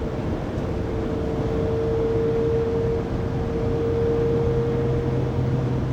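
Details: 2020 Pleasure Way Plateau FL (2019 Sprinter 3500XD), recorded on a phone inside the cabin at 80-90 km/h after driveshaft and differential replacement: a loud, constant mid-pitched whine over road rumble. Drivetrain whine, source unknown.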